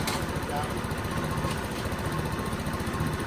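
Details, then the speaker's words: Generic carbureted scooter after a carb clean: a small single-cylinder engine putters at a low, uneven idle that sags toward stalling; the mixture screw was then turned half a turn in. "This one seems like it's going to be okay, but you can hear the idle sort of stall down right there."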